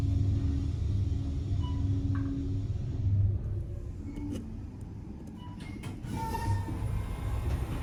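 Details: Otis/Dover traction elevator: heavy, train-like low rumble droning steadily while the car travels; a bad bearing is suspected, not confirmed.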